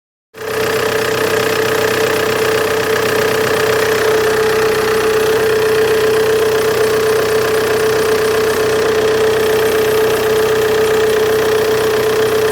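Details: Opel Insignia idling: steady high-pitched chirping squeal over a smooth idle; spraying water on the serpentine belt stops it for a few seconds, so owner suspects a bad serpentine belt.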